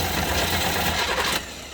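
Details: Chevy Nova 350 V8 with 4-speed, valve cover off, cranking on the starter with one plug out for a compression test on a suspected dead cylinder; brief even churning, readings roughly 140–150 psi. Normal compression.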